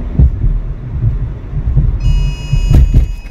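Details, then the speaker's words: Car driving on highway with radar cruise control after DIY brake job: deep rumble with irregular heavy thumps and shudder; caliper bolts, anti-seized, came loose and the caliper scratched the inside of the rim, first blamed on suspension. "i had it on radar cruise control and it seemed like uh the the vibration was coming after i hit a bump or something but now it's clear that my brakes are the culprit"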